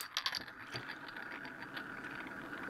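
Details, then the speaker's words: One-magnet bearingless Bedini motor with a 1-inch neo sphere magnet: adjusting the pot out of tune makes the magnet wobble in the glass, giving a light jingly rattle with scattered ticks as speed rises. "let me show you what happens if I go out of tune with it and adjust the pot there you can see it's starting to wobble can hear it a little bit cranking up speed"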